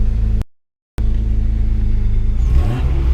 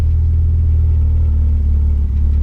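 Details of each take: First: Mazda MX3 with Big Block (KL V6) swap, idle slightly high right after ECU reset while it relearns; steady low hum with blips settling to a raised idle, after vacuum leak chasing. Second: Mazda MX3 with a KL V6 'Big Block' swap, after a high-idle problem was fixed: a deep, steady, even low rumble with no hunting, idling within the 450–650 rpm spec.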